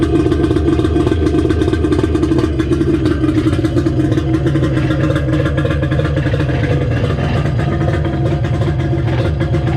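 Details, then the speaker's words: 1994 Sea-Doo XP after a 1200 engine swap with a homemade water box: loud, deep, rasping two-stroke drone steady at fast idle, even beat without misses; runs well despite one leaking carburetor. "go the other side wow this thing sounds mean yeah i tell you it sounds cool"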